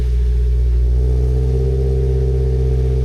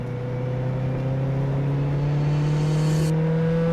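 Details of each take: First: 2014 Mazda Miata NC started after a new sensor bung was installed, to check for leaks: a smooth, even idle with a steady low drone and no ticking or puffing that would point to an exhaust leak; the engine sounds healthy. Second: 2014 Mazda Miata NC on track at Gingerman Raceway, pulling onto track: harsh, overly loud exhaust as engine revs and shifts up, plus noises underneath the car; massive exhaust leak.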